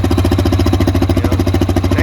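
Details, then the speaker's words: Used Yamaha Viking side-by-side UTV, black oil, cold start, checked for smoke: even, steady chuffing idle with regular firing beat, no knocks or misses; healthy cold idle. "you know if i can get there when the machine's cold that's what i like to do"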